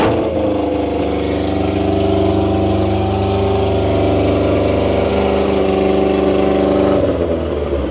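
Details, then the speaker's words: 1992 Honda Civic VX with a rebuilt Jackson Racing supercharged B18C VTEC engine, on its first start on a base map. It holds a steady, even idle with a smooth low hum and no knocks or misses. Running pretty good. "All right. So, it's running pretty good."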